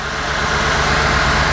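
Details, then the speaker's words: Rebuilt Audi S4 B7 V8 idling on first start in 15 months, brief run before checking oil level: steady, even smooth low rumble with no knocks, ticks or misfires; engine running cleanly. "Oh my God, it's running so well. Smooth as"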